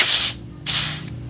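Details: Refrigerator with blocked freon line: during flushing, two short bursts of clean, dry hissing with no gurgle or sputter, showing the flushed evaporator line now runs clear.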